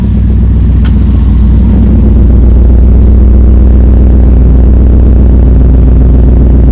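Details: Ford F100 build with a freshly built turbo engine, running after first start following a coolant fix and repair of a turbo oil-feed line leak: deep steady rumble, firm even pulse, no knocks or ticks.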